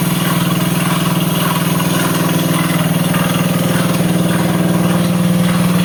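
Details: Honda CBS motorcycle at idle: steady idle with a regular tapping about four times a second over the exhaust beat. Engine noise, cause not identified.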